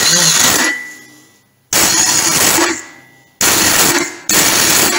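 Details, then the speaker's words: Norvil-built 2012 Norton Commando 850 MKIII, 900 miles, stored 10 years, upgraded starter, primary chaincase with water inside: repeated one-second harsh high rasps without turning the engine over, only occasionally catching; starter not engaging. "the reason I'm taking this cover off is because the starter motor is definitely not engaging properly uh you know it's uh it's rasping"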